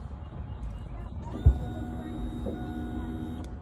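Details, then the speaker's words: Chevrolet crank-no-start check: click at key-on, then faint steady electric hum for about two seconds from the rear as the fuel pump primes the system and cuts off; pump priming normally. "So, I don't know if y'all heard it, but you'll hear you you'll hear your fuel filter uh cutting on electrically and and pumping your fuel."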